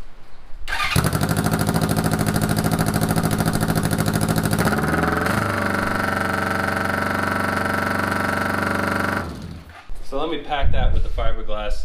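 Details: 1981 Honda CB750 cafe racer at idle: harsh, loud, rapid raspy exhaust bark from the muffler side without fiberglass packing, compared with the packed side, until shut off.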